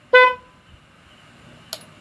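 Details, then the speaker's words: Motor Star 125 motorcycle after fuse, stator, carb, tank and chain work plus rewiring, with the switches just refitted: one short, clear, loud, full-toned honk with no crackle. The horn works properly. "Yan, gumagana na po. Busina."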